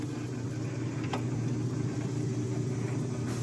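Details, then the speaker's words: 1950s Wizard Citation wringer washer, small water leak noted, agitator running: smooth low motor hum with soft, even churning and no grinding or clunks; works fine. "Here's how you turn the agitator on. Agitator works well, and the Wringer, so it's"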